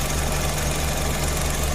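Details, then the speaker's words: Engine at idle after thermostat installed and water replaced with coolant, bleeding air bubbles from the cooling system; smooth, even low hum with no ticking, knocking or misses: normal quiet idle. "Pero maganda nung naging yung thermostat, tahimik na yung makina."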